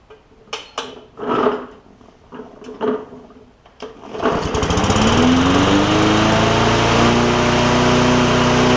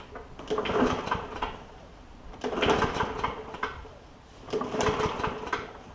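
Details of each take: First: Bolens push mower, Briggs OHV engine after valve adjustment, speed previously very fast: pull-start attempts, then it catches and revs to a steady buzz; speed regulation still seems off, bad governor feared but not confirmed. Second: Bolens push mower, Briggs OHV engine, after valve adjustment for hard-to-pull starter rope, pulled without gas: three smooth even recoil pulls with no catch or hard spot, pulling much easier; flywheel key is the next suspect if recoil issues persist.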